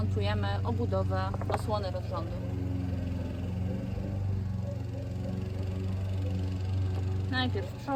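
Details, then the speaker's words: 2014 Yamaha F115 outboard, 1024 hours, started on grass after a timing belt replacement: steady, even low idle hum with no knocks or misses, a neighbour's mower droning in the background; normal idle. "Malheureusement, nous avons la tondeuse d'un voisin en arrière-plan, mais nous procédons au démarrage du moteur."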